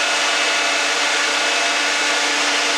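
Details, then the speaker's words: Dodge Dakota electric cooling fan after fixing a bad ground connection: loud steady rushing whoosh with an even hum, no rattles or surging; fan running normally at full speed. "I'd say it's working pretty well."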